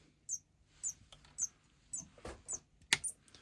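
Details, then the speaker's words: Focusrite Scarlett 18i20 2nd gen with no power, switching supply (LD7535) at 0.5 A: faint high chirps about twice a second over silence as it hiccups in current-sense protection. "This is the .5 amperes and SMPS power supply going to the current sense mode."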